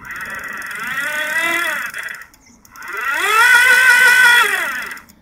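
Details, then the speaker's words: Old electric bike being revived with a homemade lithium pack, rear wheel lifted off the ground: the hub motor whine climbs as the throttle opens, holds, then falls away smoothly twice. The unloaded wheel spins freely and the motor works normally. "twist the throttle and lift the back wheel off the ground a bit and the motor turns"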